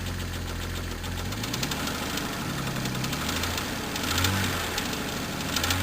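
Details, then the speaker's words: 1998 Jeep Cherokee 4.0L that began clicking after a 4-degree cold start and worsened through the day: deep, heavy knock at idle from low inside the engine, valves fine and fan belt off; suspected wrist pin slap, not confirmed. "I believe is a wrist pin slap, so we're going to have to tear it down and go into it and see what's the matter with it. It's down internal in the motor."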